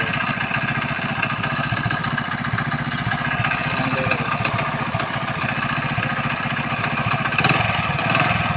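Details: Hero Splendor Plus single-cylinder motorcycle just started: a busy, uneven ticking clatter at about four beats a second rides over the idle; abnormal engine noise at idle, cause unclear.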